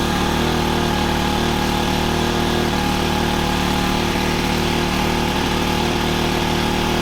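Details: Honda FG110 with GX25 engine, new carburetor, previously ran only on half choke, idle set high to warm up before tuning; steady even fast putter about four pulses a second, no misses or surging; normal fast idle.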